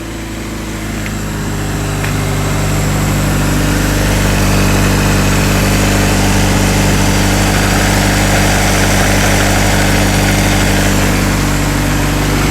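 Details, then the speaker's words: Honda/Acura DA Integra after switching the fuel pump cut-off switch under the back seat back on: smooth, even four-cylinder idle with a steady low hum, constant over several seconds. Normal idle. "Oh, it runs. Man, it sounds good. She sounds really good."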